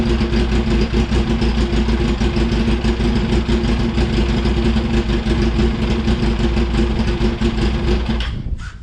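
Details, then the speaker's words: 2004 Yamaha R1 unstarted for over 10 years, on fresh fuel: an uneven, lumpy note running and blipping for several seconds before dying; owner suspects it runs only on ether, unconfirmed. "Like, it runs. What the hell is going on? I think that was running off the ether still, surely."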